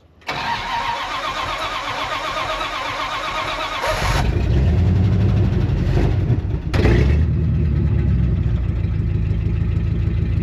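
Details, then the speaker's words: 1974 Dodge W100 Power Wagon 4x4 V8 with about 76,000 original miles, parked since 1983, on a cold start: a brief crank, then it catches fast into a steady, even idle with a rough exhaust note; healthy cold start despite the bad exhaust. "I mean, you don't get much better than that."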